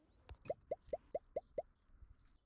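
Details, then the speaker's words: VW Golf MKV GTI, 2.0 TFSI, transmission mount replaced during a timing chain job: six sharp, evenly spaced clunks, about four a second, as the unit is rocked by hand; excessive play in the badly worn old transmission mount. "You can clearly see and hear how much this bad boy was worn out."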